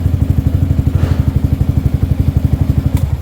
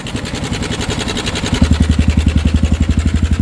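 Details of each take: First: Sniper 155 bored to 175cc, 22,000 km, after swapping the stock cam chain tensioner for a manual tensioner: the single-cylinder thumps steadily at about four pulses a second with a brief blip, no ticking, now quiet and healthy. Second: Suzuki Sniper 155 bored to 175cc, idling before repair: a steady single-cylinder thump with a loose, busy clatter on top. The stock cam chain tensioner spring is worn out, letting the chain rattle.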